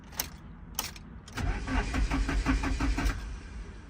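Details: Nissan 240SX with new wiring, cranking with the key after the clutch safety switch was fixed and a new fuel pump fitted. A couple of clicks, then the starter spins the engine evenly for about two seconds; normal cranking. The no-spark no-start was traced to a previous owner's mis-wired secondary ignition switch feeding the ECU relay.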